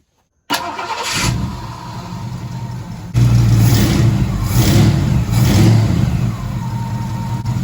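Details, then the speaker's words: Classic Ford 302 V8 after new alternator install, battery reconnected: starter cranks briefly, catches cleanly, a few blips, then an even steady idle; sounds healthy, better than before, charging to be checked. "Good to go. That one even sounds better than the other one."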